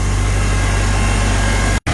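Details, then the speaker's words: 1955 Farmall Cub with a cleaned fuel tank, inline filter and rebuilt carburetor. Steady, even low thump at idle with no misses, stumbles or knocks; running clean as a whistle. Normal idle. "can see it's just running clean as a whistle"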